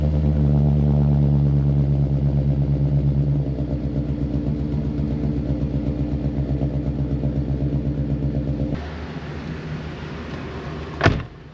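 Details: 2023 Thor Quantum KW29 motorhome, Ford E-450 chassis, 7.3L Godzilla V8, after removing a loose bracket resting on a rattling heat shield under the floor; rooftop air conditioners running: low, smooth, even idle, no buzzing or metallic rattle. Normal idle after fix.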